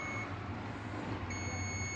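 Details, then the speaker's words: Microwave oven door switch continuity test: with the door switch closed, the multimeter gives a steady high-pitched beep, showing normal continuity; with the door open there should be none. "जी यहां से continuity आ रही है।"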